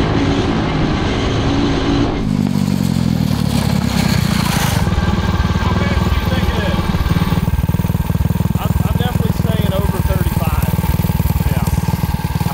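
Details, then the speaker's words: 2003 Honda 919 CB900F with Tillotson 225 single-cylinder racing engine (~18 hp) maxed out at top speed, about 38 mph: constant high-pitched wail, no headroom; gearing suspected too short, owners plan drastic gearing change to cruise at 50. "So we need to make a pretty drastic gearing change. So it's screaming right now."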